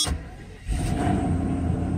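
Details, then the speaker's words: Mercedes S600 coupe V12 cold start, now running on all twelve cylinders (previously six): smooth, even fast idle with raised rpm settling in; air pump noise audible. Normal cold fast idle. "of course this is cold start so rpms are high let's just wait for a second"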